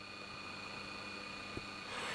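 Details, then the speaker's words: Pye model 1113 vintage transistor radio switched on: very low volume with a faint steady hum, caused by the driver transistor shorted internally to its metal case and touching the chassis when the amp board was swung down. "I'm going to turn it on so you can hear we got very very low volume and a very slight"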